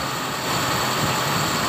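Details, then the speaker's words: Toyota Kijang 5K petrol engine first start after repair for coolant mixing into oil (valve cover, distributor refitted): slightly uneven lumpy idle under steady hiss, slightly limping; valve adjustment planned as possible fix — rough idle. "Tapi agak sudah apa sedikit pincang kemungkinan nanti kita lakukan untuk penyetelan klep"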